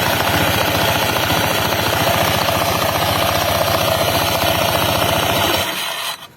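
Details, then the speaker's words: Honda PCX 160 scooter idling with a fast, steady clattering knock from the front CVT drive pulley; the noise stops with the pulley removed, and the rollers are still good, so a loose slider is blamed. "sudah terdengar suara klotok klotok Contohnya seperti ini kita hidupkan dulu motornya ya bisa terdengar suaranya itu dari depan ini ya dari depan"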